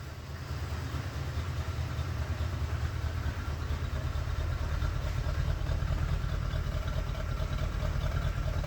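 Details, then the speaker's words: 1988 Corvette (owner unsure, maybe 1989), sat over winter, just started after hotwiring a rewired connector: low, uneven idle chug with irregular dips, misfiring; ignition timing not yet set with a timing light. "Okay, it's kind of running. It has a misfire to it."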